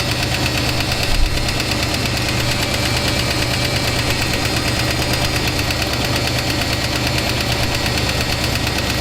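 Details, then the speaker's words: 1966 Ford Thunderbird V8, revived after sitting for years: loud idle with a light, quick tick that follows engine speed. The lifter tick persists after fresh 20W-50 oil; oil pressure improved but is nearly zero at idle. "Okay. So, seems like our lifter is unhappy."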